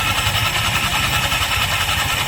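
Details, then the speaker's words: Honda Click 125 scooter idling with the CVT cover removed: a loud rough hiss and rattle from the noisy belt drive (panggilid) over a low pulsing thump. Suspected CVT belt slip noise. "Meron tayo guys Honda Clip 125 na maingay daw ang panggilid."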